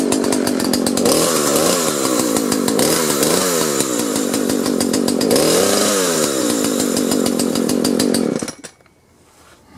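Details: Husqvarna 120 chainsaw after the recoil spring was flipped so its longer protrusion seats further onto the pulley: the two-stroke fires, holds a steady, rising buzz and revs cleanly, so the slipping starter is fixed.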